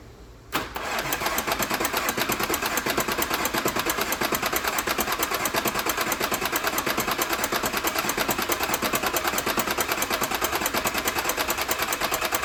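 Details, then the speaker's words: Audi B9 S5 at 58,000 miles after rocker arm upgrade, walnut blasting intake valves, water pump and thermostat replacement, engine reinstalled: quick start, smooth even idle with a steady light tick; healthy. "So, now that everything has been put back together, I can put the engine back into the car, get everything connected back up again, and start it up."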